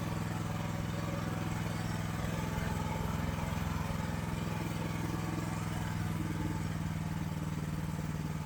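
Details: AGT LH12R mini excavator with Rato engine, before governor adjustment: steady, fairly fast low drone at idle; factory idle set too high causing jerky operation, governor to be turned counterclockwise to lower speed.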